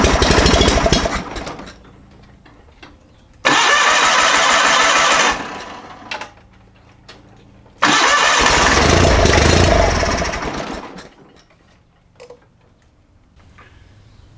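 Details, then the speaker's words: John Deere 318 garden tractor with Onan P218G engine: two long steady cranking bursts, about three turns a second, no firing; spark confirmed and fuel pump working, no-start from fuel starvation. "looking like right now we need to address a fuel issue"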